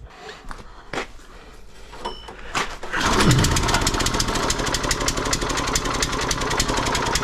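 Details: Kohler SH265/SH255 6.5 hp engine on a Cub Cadet rototiller, started on choke right after replacing the faulty carburetor with a new one: a few handling knocks, then it fires and settles into a fast, steady, even patter with no misses; running great.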